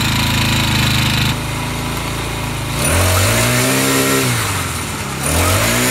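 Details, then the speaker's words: Craftsman C944.515580 four-stroke trimmer, Briggs & Stratton 34cc engine 021032 on straight gas, unused since last year, after carb replacement: once warmed up, brisk idle climbs cleanly through two quick revs and settles without stumbling; clutch slightly engaging, running healthy. "well this thing runs awesome now I just had to let it warm up"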